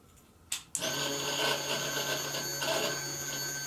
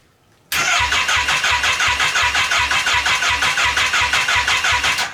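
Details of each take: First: Crash-damaged Kawasaki Ninja H2 engine bought on eBay, wiring harness connected, first key-on: click then steady electric whir for about three seconds as the fuel pump primes normally. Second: Wrecked Kawasaki Ninja H2 engine bought on eBay, bench-run with no coolant: steady even cranking about three beats a second for over four seconds, never firing; owner suspects no spark, possibly a tip-over sensor or starter lockout switch issue.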